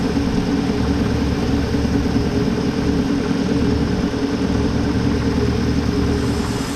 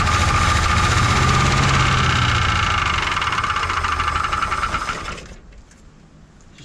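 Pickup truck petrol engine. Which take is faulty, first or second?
second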